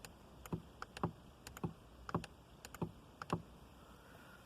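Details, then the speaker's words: 2003 Audi A4 B6, driver's side windows not working: pulling driver switch up gives light uneven clicks about twice a second with no motor run; window not moving; owner suspects bad switch with auto-up activating. "although interestingly if i pull this the driver side one up all the way it's you can hear something sort of like clicking"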